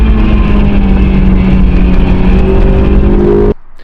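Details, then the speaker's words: Honda S2000 AP1 while driving: harsh buzzing rattle over engine drone, climbing with revs and stopping when throttle closes, sounding mechanical; traced to something loose in the transmission tunnel, a loose object rattle. "it sounds like a mechanical issue right I mean it's a terrible rattle it sounds absolutely terrible"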